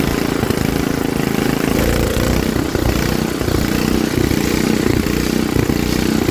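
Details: Troy-Bilt rear-tine rototiller engine after magneto cleaning restored missing spark and carburetor cleaning, choked for carb adjustment: single-cylinder catches and settles into a steady, even putter with no misses or knocks; running normally.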